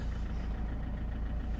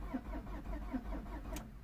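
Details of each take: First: 2003 Peugeot 307 2.0 HDi diesel idling just after starting with a newly programmed transponder: low, steady idle holding an even beat without stumbling or rattles; a healthy running engine. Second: 2003 Peugeot 307 2.0 HDi diesel with its transponder lost during earlier work: the starter turns the engine at a steady chug of about five compressions a second, but it never fires because the immobilizer is blocking the start.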